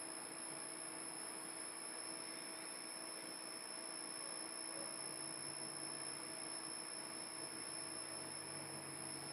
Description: Ps3 is whining anyone know what's causing this?